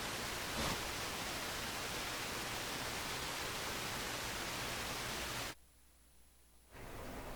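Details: Nordmende 3004C receiver on FM with its original FM antenna, after a tuner alignment. Constant rushing static buries the station, then briefly drops out. Reception is weak and the band is shifted; a local oscillator problem with the FM section.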